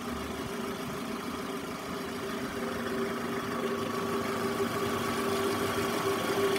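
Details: Toyota Estima ACR50 at quiet idle: faint steady whine and light rough hum riding over engine; abnormal alternator noise.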